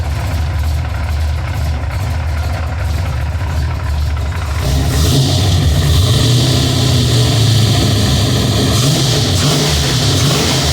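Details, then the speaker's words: Ford F-150 with a 351 small-block Ford bored .030 over, aluminum heads, retrofit roller rockers: steady idle with a fast regular tick that persists as revs rise, seemingly from the rear driver's side; owner may try changing the distributor, cause unconfirmed. "And it kind of seems like it's on the driver's side more than the passenger. I've definitely got to figure this out. It's driving me nuts."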